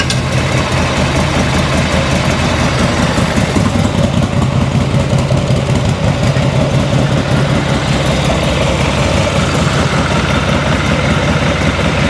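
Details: 1986 Harley-Davidson Liberty Edition Electra Glide Classic, sat ten years, after ignition timing set: steady loping V-twin idle, even beat, no knocks or misses, nearly out of gas.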